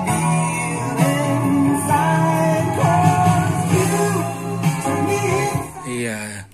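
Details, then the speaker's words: Cassette player after fixing a squeal by fitting a snug small piece of tissue under the pressure pad so it presses against the head: guitar-and-vocal song plays steadily with no squeal, normal playback. "sekarang kita tes Apakah bunyi deritnya masih ada atau tidak Nah sudah hilang kan"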